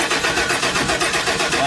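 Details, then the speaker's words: 1995 RV being converted into a mobile classroom: steady cranking churn that never catches or speeds up; cranks but won't start, no fuel apparently reaching the engine. "nothing there's no fuel getting to it not that I can tell at least"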